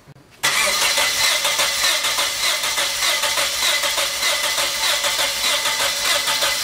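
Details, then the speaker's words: Vehicle cranked after a jump pack was connected: steady starter whirring with fast, uneven cranking pulses that never catch. It cranks but won't start because it is completely out of gas. "no fuel start it's completely out of gas"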